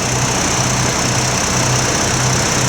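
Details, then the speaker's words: 2002 Chevy Trailblazer with Vortec 4200 4.2 L engine, running: smooth quiet even low hum with no knocks or ticks, normal idle. "It's got the Vortec 4200, which is the 4.2 liter V6 motor. Sounds very quiet."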